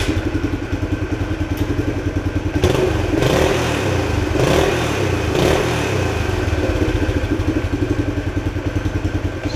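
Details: 1976 Honda XL175 single-cylinder after fitting a used ignition coil to replace a suspected bad one, warmed up on fresh gas, with even thumping at about two pulses a second and a brief throttle blip; idles smoothly and sounds healthy.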